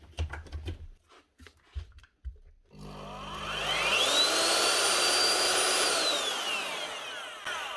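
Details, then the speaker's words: Bosch GRW 12 E mixing drill after replacing bad bearings and cleaning off cement, brushes about half worn: spins up to a smooth, even whine, holds steady and winds down cleanly; bearings healthy. "what be wrong with that sounds like a new machine now"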